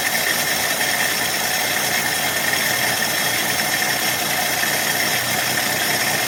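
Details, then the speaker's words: 1966 Dodge Dart 225 slant six after fixing the new Autolite-style single-barrel carburettor's fuel inlet plumbing: low, fairly steady idle under hiss, no clear knock or misfire; seems better than the Holley 1920, timing unknown. Normal idle. "seems a little better than the 1920 doesn't it yeah I don't remember real well but okay"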